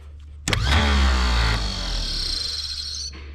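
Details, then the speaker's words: 90-year-old starter from 1934 Chevrolet farm truck, removed and bench-run; sharp engagement clunk, strong steady whir, spins down cleanly, drive stays out with no engine to kick it back; normal starter free-run. "but it's going to stay out since we don't have the engine to kick it back"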